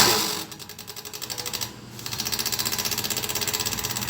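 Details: Gelopar freezer: fast, even rattling tick, about ten hits a second, as the loose condenser micro fan, with a broken base, strikes the condenser; fixed by replacing the micro fan and cleaning the condenser.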